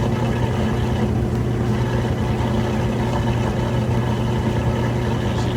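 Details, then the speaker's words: Kenmore stacked washer at near full-speed final spin: steady low hum with the drain pump whirring underneath, smooth and balanced with no thumping; a healthy spin cycle. "You can still hear the drain running, but it's got a nice fast spin, smooth and balanced."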